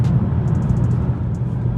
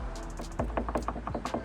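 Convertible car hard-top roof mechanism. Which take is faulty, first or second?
second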